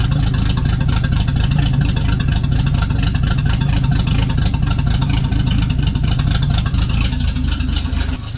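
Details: 1976 AMC Gremlin, stored 36 years, idling after a restart on its flushed fuel tank: even, steady low rumble with no misses, knocks or hunting; normal idle.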